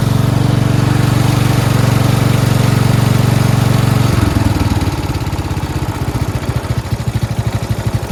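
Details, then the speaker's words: Four-wheel-steering lawn tractor "Rodimus Prime" with Nikki carburetor, after carburetor and fuel line replacement and ground fix: smooth, even single-cylinder beat, then slowing into separate firing pulses as it winds down, no misfires; normal idle. "finished sounds great who says nikkis don't run right they run okay just depends on what kind of Nicki original or third party yeah that's that starts really well nice"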